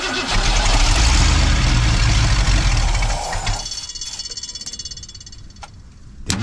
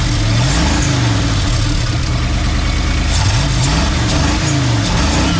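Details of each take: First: 1990 Ford F250 with 351 5.8 V8, cranking on a cold day: steady fast cranking about four turns a second for three seconds with no firing; no fuel pressure at the Schrader valve. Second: 1990 Ford F250, 351 5.8 V8, 3-inch exhaust, cat delete, junkyard build, cold morning: even low V8 burble at idle under music after starting with slight delay, no misses or knocks.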